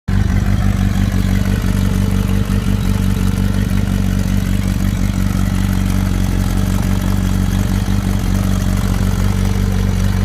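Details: Kawasaki ZR7 motorcycle at steady idle with a fast, uneven light clatter over the low engine beat; top-end rattle, owner asking what the problem is, cause not confirmed.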